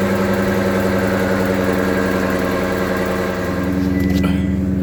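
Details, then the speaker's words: 2020 or 2021 Honda Accord, after a collision, on a lift with wheels rotating at start-up: loud, steady droning hum with rough wobble from a bad wheel bearing, possibly both sides; planned fix is spindle replacement. "And well, we're gonna throw this in there, see if we can resolve this noise, because it sounds horrible when you drive it."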